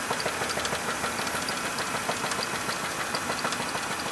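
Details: 2000 Chevrolet Monte Carlo petrol V6 at idle: sharp, steady knock about three raps per second despite new bearings recently fitted; owner plans an engine swap.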